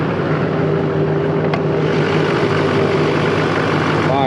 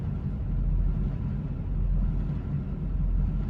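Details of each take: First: 2004.5 GMC 2500 HD LLY Duramax, 245,903 miles, after the delete, tune and lift pump install. Started cold at about 45°F, it gives a steady, even diesel idle clatter with no misses or knocks. Normal idle. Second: 2004.5 GMC 2500 HD LLY Duramax diesel, 245,903 miles, deleted and Banks Six Gun tuned, at idle: low rumble hunting between about 600 and 900 rpm roughly once a second; idle surge, worse in gear, owner suspects failing or clogged CP3 fuel pressure regulator.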